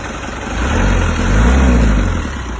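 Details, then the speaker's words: 1994 Isuzu Panther 2.3 diesel, first owner, 350,000 km, 30 years without engine overhaul: low diesel clatter at idle with slightly lumpy, limping beat and mild speed rise and fall; rough idle, mild smoke. "Kalau untuk suara emang agak njek gitu ya. Agak ada pincang."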